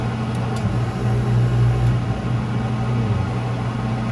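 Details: Commercial prep table or reach-in refrigeration unit, gauges on and reading well on charge: a steady low drone with a slight uneven warble from one noisy evaporator fan motor that needs replacing.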